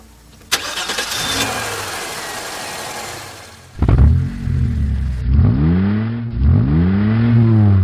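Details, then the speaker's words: Old engine fitted with a custom-built ECU, laptop connected to log engine run data: short crank, then the engine catches promptly and revs up and down cleanly a few times; starts and runs fine. "The ACU is ready to start the engine. So, I go back inside and crank it like so."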